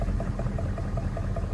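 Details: 1994 Chevy Silverado C1500 6.5 turbo-diesel at idle, mic where knock is loudest: sharp knock about five times a second, even and unchanging; internal knock, cause not yet found.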